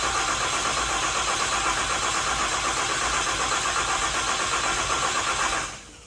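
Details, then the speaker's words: Freshly built deckplate Cummins diesel before break-in, injector plugs unplugged, cranked in neutral to build oil pressure: steady fast cranking at about four turns a second with no firing, then stops; normal priming crank without firing. "what that means is we're going to disconnect our injector plugs here one and two and this allows you to crank the engine over to build oil pressure without firing the injectors"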